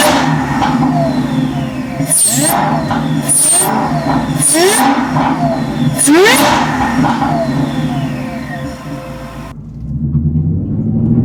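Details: Repeated throttle blips of Whipple Stage 3 supercharged V8 Super Snake, with new Whipple carbon fiber intake and larger air filter boxes: clean whine climbing and falling with revs over strong V8 roar; normal, healthy supercharger.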